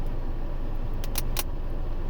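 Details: 2021 Acura TLX stereo while driving: over steady low road rumble, two sharp crackling pops a quarter-second apart, intermittent and worsening; owner suspects amplifier connection, not confirmed.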